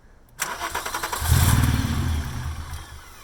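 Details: VR6 engine being readied for a swap, clutch switch cable bypassed, vacuum line just reconnected; quick starter cranking catches into a brief rough run that dies within about two seconds; owners suspect car's angle and low fuel starving the engine.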